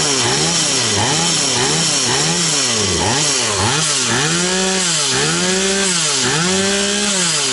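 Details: Stihl 180 two-stroke chainsaw after piston and crankshaft seal replacement: crisp buzz revved up and down repeatedly, pitch rising and falling cleanly with each blip; revs normal, no air leak anywhere.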